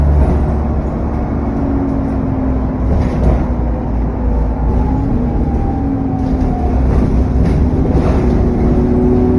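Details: SN61 DDE E210 on a dead run back to MB, steady driving: thin whistle drifting up and down over a heavy roar, turbo whine with cooling fan thrash.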